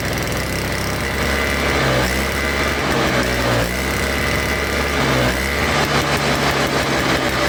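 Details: Toro Snow Commander two-stroke snow thrower, after fresh fuel, reconnected fuel line, choke and primes: catches and idles on its own with a slightly wavering rising-and-falling buzz; old fuel suspected as the main problem; later stalled from faulty ignition switch.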